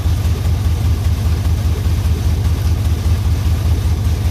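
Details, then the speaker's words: LS-swapped OBS Chevy Suburban, semi-warm: a deep, loud rumble with an even throb about 2.5 times a second. Not a knock; raw exhaust from two flex pipes with no muffler yet. "Oh yeah, so by the way, it's not knocking. I just got a flex pipe, 2 flex pipes. So I haven't made it to the muffler shop yet."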